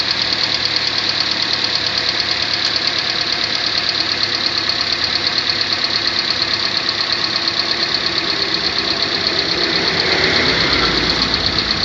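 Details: 2014 Kia Sportage 3 facelift, AWD, 13,000 km, at idle: quick light ticking about three per second over a smooth engine. Engine knock, cause unclear.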